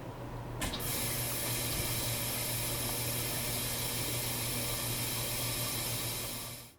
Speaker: At the start of each cycle, it's normal to hear the valve open with water rushing out.